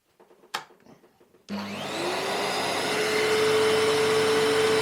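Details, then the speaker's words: Panasonic MC-E468 upright vacuum, free used unit left stored in a shed, first power-on after being flipped over: smooth steady high whir with even tone, no slapping or rubbing; belt-driven beater bar spins up and winds down normally. "you just see it as it slows down let the belt spinning around wow that's pretty cool that is"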